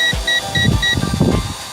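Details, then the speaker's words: Eachine E520S GPS drone controller low-battery warning at 22% during a windy hover battery test: regular short high beeps about four a second over wind and motor noise; drone lights flashing. "so what's that mean now is the control of sleeping at me the lights on the drawing I'm out flushing especially indicating we're low on power so pretty story about to run out of power 3 so you hear that beeping 22% on the bet your gage"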